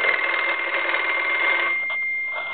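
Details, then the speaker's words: German Post Office telephone after its touch-tone conversion and repair, with the ringer at the high volume setting: a bright, even bell rings steadily about a second and a half, then stops cleanly; working normally. "we'll go ahead and answer it it's in the high volume setting right now"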